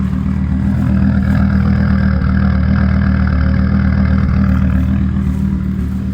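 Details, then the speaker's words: 2006 Volvo XC70 after engine rebuild, P0016 intake cam code, still slightly cold: low, loping idle with an uneven, clattery pulse about four times a second, worsening as rpm drops toward idle; rough idle, cause not yet found. "It's still a little cold, so it's not trying to come all the way down to [Music] idle RPMs yet. Hear it now. It's trying to come down to idle RPMs. Is getting even worse."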